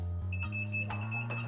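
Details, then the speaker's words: DTF heat press with its timer finished after pressing a transfer sheet: a series of loud, high-pitched electronic beeps repeating over a low hum to signal the cycle is complete. "And as you can see, it's gonna start beeping loud. So you do not have to worry about not being notified."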